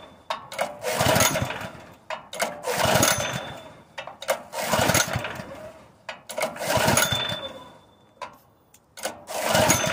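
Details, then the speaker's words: Honda GX160 air compressor engine on propane conversion bursts into life, surges unevenly, and drops out abruptly several times, running just as it did before; owner suspects weak valve springs and that a valve job is needed, unconfirmed. "it's just like you turned it off something's killing this engine it's running just like it did [Applause] before"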